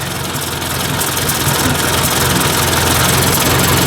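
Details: Ford 800 tractor idling after warm-up, thermostat open: steady, even low chug of about three and a half beats a second with no stumble or knock; a small leak is still heard; healthy warm idle.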